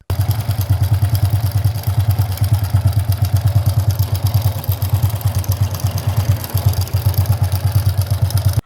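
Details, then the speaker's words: Honda Supra/Grand C100-series single-cylinder motorcycle, oil not reaching head, clutch previously repaired elsewhere; steady idle with coarse jingling rattle on each thump from left side of engine block; suspected oiling or cam chain; rough rattling noise. "Nah, kurang lebih seperti itu ya untuk suara mesinnya. pokoknya kasar dan gemerincing ya di bagian blok mesin di sebelah kiri"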